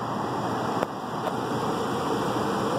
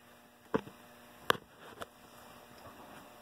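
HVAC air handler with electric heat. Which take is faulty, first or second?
second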